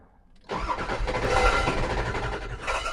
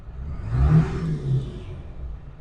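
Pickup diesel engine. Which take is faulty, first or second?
first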